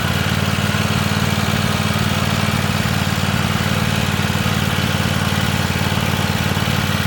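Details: Free Weed Eater tractor, Tecumseh TVT691 two-cylinder, after oiling cylinders and oil and filter change, first run on gas, warming up: steady even low thump at idle, no misses, knocks or surging. Normal idle.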